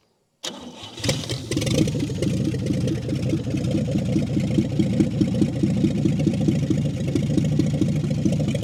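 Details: 1959 Chevy Biscayne after years in a salvage yard, idle screw backed out two to three turns, carburettor leaking from the bottom: fires first turn and settles into an even, steady low idle with no knocks or ticks; normal idle.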